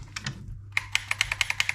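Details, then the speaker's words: T238 V3 Pro programmable mosfet prototype in an airsoft gun, failed after about 200 shots: sharp dry trigger clicks about five a second with no motor whirr, selector beeps show power; trigger sensors appear failed, mosfet never fires. "we have no response on the trigger and yet you can hear there's power you can hear the selector changing cuz it does that really annoying beep however in neither mode just a trigger work"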